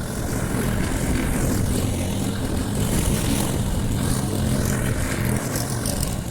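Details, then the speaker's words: Briggs & Stratton Quantum engine on a Clipper lawn mower after spark plug work (previously wouldn't keep running after winter): steady even buzz cutting grass, no surging, stalling or misfire; normal running under load. "there Run's perfect so that was a bricks and ston Quantum engine on the Clipper lawn mow yeah"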